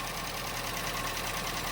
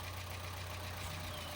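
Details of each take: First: Chevrolet Trax, first start after cylinder head work: busy idle with a fast light valvetrain clatter while oil is still climbing to the top, going quiet once oil pressure builds. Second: Chevrolet Trax that had sat long without starting, now running after head removal and repairs: the initially noisy start settles to a steady, even, quiet idle with no ticking or knocking.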